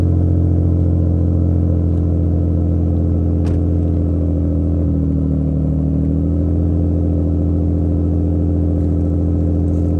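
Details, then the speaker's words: Nissan G35 drift car, mostly stock with an aftermarket exhaust, cold start: deep, even idle with a soft, uneven puffing tick in the rumble from one exhaust leak. "basically stock as you guys can hear it's got one halan exhaust leak nothing uh too exciting there we still have to work out the Kinks"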